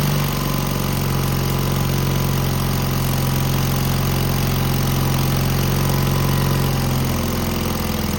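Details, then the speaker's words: Cub Cadet garden tractor, Kohler KT17 twin, after muffler replacement to cure a rattle: twin thumps at low idle with an uneven, lumpy beat and no clear knock; runs rough but much quieter, cause uncertain, carburetor not checked. "I didn't quite like the way it ran, but it is much quieter."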